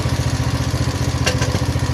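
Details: 170F single-cylinder engine after replacing crankshaft and connecting rod: even, steady low putter of about eleven firing pulses a second, no knock or clatter; the knock is gone. Normal running.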